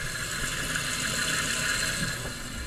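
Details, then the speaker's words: Toilet fill valve kicking on randomly, suspected leak from hard-water buildup on the seal: steady rushing hiss with faint whistle as the valve refills; if this recurs it is still leaking and needs replacing. "See if I hear the toilet running. See if I hear the filler kick on. This is the sound it makes."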